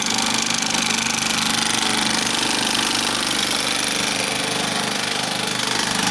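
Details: Bell & Howell 2575 16mm Filmosound projector, side panel off, running in drive mode with no film threaded, needing new nylon lower-sprocket drive and worm gears: loud, even chatter about three to four times a second; worn drive gear clatter.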